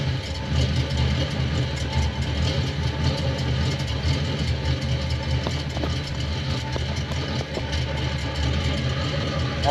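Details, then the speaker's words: Chevrolet Monte Carlo V8 idling, heard at the rear exhaust: steady rumble with occasional uneven puffs and misses that began after an intake swap. The owner has ruled out a vacuum leak, and the cause is unconfirmed. "don't know if you can hear that [Music] it never spotted like that until I swapped the intake"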